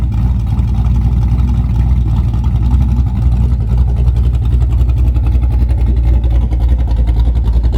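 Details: Chevrolet Camaro big-cam V8 idling after a Summit Max EFI-500 fuel-injection install (IAC idle control, about 35-40 psi fuel pressure): deep, lopey idle with uneven chop, about three to four pulses a second. Normal cammed idle.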